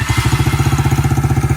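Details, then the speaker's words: 2021 Kayo 70cc kids dirt bike, under 5 hours, new battery; after carburettor teardown and cleaning it runs with quick, even popping and a deep steady thump, small single firing cleanly. Normal running after carb repair. "There you go, boys and girls. Kill it. And there you go, guys. That's how you, from point A to point B, pull off a carb on a dirt bike, get her cleaned up, assemble it back together, get her running."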